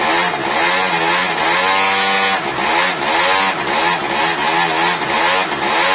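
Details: 1999 SYM Jet 50cc two-stroke scooter, previously non-running (no spark), after exhaust refitted: crisp buzz climbing and dropping cleanly with each throttle blip, no bogging; healthy.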